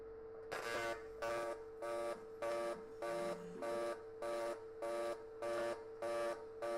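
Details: TIG welding on AC/DC mix setting, factory settings except user-set waveform, frequency and balance, audio sounding boomy: steady tone with a buzzy burst about every 0.6 seconds as the arc switches AC and DC; normal mix-mode welding.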